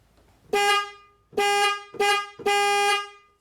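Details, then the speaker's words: 2010 Chrysler Town & Country after replacing the passenger-side horn, sounded from the steering wheel switch: four clean, steady two-tone honks with crisp starts, the horn now working properly. "Alright, that's good. As you can hear, the horn is working. So that's one thing fixed."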